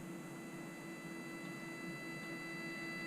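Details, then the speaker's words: Lekato A-8 wireless guitar system into pedal and amp turned fully up: steady mains hum under faint hiss and thin whine; owner unsure if from the wireless system, no buzz with an Xvive unit instead. "but you can hear that there is a hiss coming from the amp I don't know if that's from the wireless system or not"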